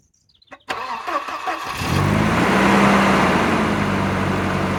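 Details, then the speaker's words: 1989 Volvo 740 GL saloon that sat in a field for at least 3 years, run without coolant; the starter cranks about a second, then it catches at once and settles into a smooth, even idle: normal start and idle. "and it started straight up like it's in use every day so um good news terrible for Content absolutely terrible for Content"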